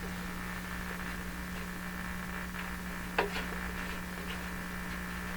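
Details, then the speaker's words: 1940s Canadian Red Cross tube radio, four capacitors just replaced, fed about 96–99 volts: distinct low mains hum with faint static while tuning, but no stations received at all. "96 quite a distinct low hum in the radio yeah coming okay let's tune around"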